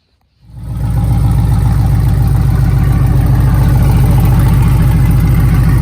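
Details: LS-swapped 1987 Chevrolet K5 Blazer after Holley EFI fuel rails, regulator, pump install, injectors pulled and O-rings replaced, pressure set; deep even V8 burble settling to steady idle without misses, ticks or surging. Normal idle.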